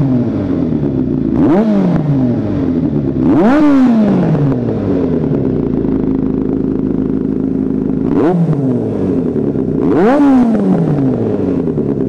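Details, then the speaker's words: 1983 Kawasaki GPZ550 garage find after carburetor tuning, airbox and reassembly with Kerker exhaust: four crisp throttle blips rising cleanly and returning to steady idle, throaty exhaust — normal running. "okay so we got the bike running nicely it sounds fantastic everything's put back together the Kerkar exhaust sounds like a really nice exhaust system on this bike"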